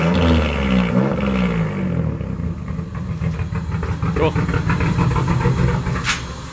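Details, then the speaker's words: J32-swapped EK Civic with new turbo manifold leaking at a flange: lumpy, uneven idle with a stumbling beat; rough idle, owner suspects the unplugged EGR valve is a big part of it. "I also think it doesn't like that the HDR valve is not plugged in. That could be a huge part of it."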